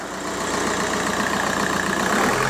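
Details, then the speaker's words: 2002 VW Golf PD130 diesel after the injector loom was replaced. Revved up ("a bit of a ram"), the clatter rises smoothly and evenly with no misses or knocks; sounds healthy. "yeah listen to that baby purr give it a bit of a ram"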